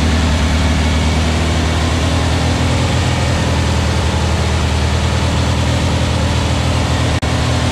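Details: Aaron's new VW Beetle 1679cc single-port flat-four, Scat C25 cam, dual Empi ITC carbs, fast idle during 20-minute cam break-in after first fire-up; steady even drone, no knocks, misses or ticks. Normal running, timing spot on.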